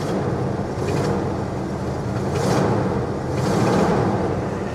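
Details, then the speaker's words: 1973 Buick Regal V8 driving: deep, steady rumble with a faint, fast puffing tick from an exhaust manifold leak, not a rod knock. "that noise is is annoying but it really is just an exhaust leak from the manifold you can hear it"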